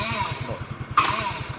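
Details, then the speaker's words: Suzuki Let's scooter running with an Access CDI rewired in place of the original Let's CDI: single-cylinder idle pulsing, then a short harsh grinding burst as the starter is pressed while running; starter gear grinding. "ഇങ്ങനെ sound വരും. അങ്ങനെ കുഴപ്പമില്ല വരും ഇതിനകത്ത് കേട്ടോ."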